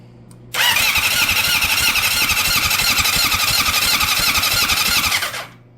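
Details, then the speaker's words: Honda CB750 cafe racer after a full rebuild, cranked after the ignition plug was rewired with new connectors. The starter churns fast and steadily for about five seconds but the engine never fires; no spark, spark-unit wiring suspected. Crank, no start. "And we're powered on, and we are looking for a spark."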